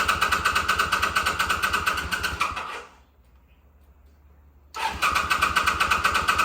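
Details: 2005 Kawasaki VN800C, about 130,000 km, first start after roughly 10 years stored, battery recharged and fresh petrol added: catches and runs with a steady, even beat, cuts out briefly, fires straight back up and settles; healthy running.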